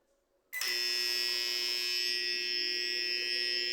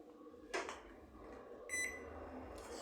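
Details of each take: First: Microwave oven: harsh steady electrical buzz from the transformer when timer is set, persists with only transformer and capacitor connected, after control board and power relay were already replaced. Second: Microwave that made an annoying noise whenever a time was set, now running with a replacement transformer fitted: quiet, even hum with a beep and door clunk, no buzzing; the original transformer was shorted.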